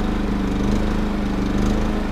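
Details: Three-year-old Champion RV generator, running after refuelling: steady, even engine drone with constant low hum, no knocks or surging; running smoothly and healthy.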